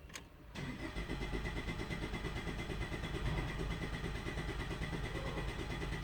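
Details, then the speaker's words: 2013 Ford Escape 1.6 L turbo gasoline direct injection, misfire on cylinder 2; scan-tool relative compression test, throttle floored, cranking 10 seconds; even starter beat about three pulses a second, no uneven drops; compression good, normal cranking. "ممكن اشوف relative compression، اتاكد ان الموتور. ادوس البنزين على الاخر، crank for 10 second."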